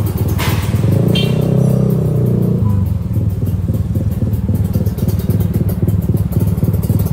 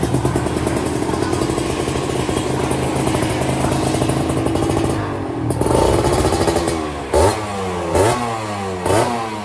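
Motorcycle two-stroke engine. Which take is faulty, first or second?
second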